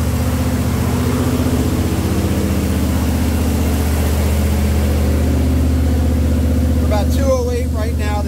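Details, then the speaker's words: Jeep CJ5 freshly built engine with Holley EFI, 10 minutes into break-in at about 1850 rpm: steady deep fast-idle drone, no knocks or misses; runs smooth and healthy, oil pressure 45+ psi. "all right about 10 minutes into the break-in still about 45 PSI Plus on oil pressure"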